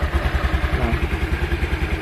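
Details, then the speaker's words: Used motorcycle inspection before buying, engine check: even, steady idle thump about nine beats a second, smooth with no knocking or rattles; normal idle. "Oke kalian pastikan suara mesin suara mesinnya halus seperti ini tidak ada suara"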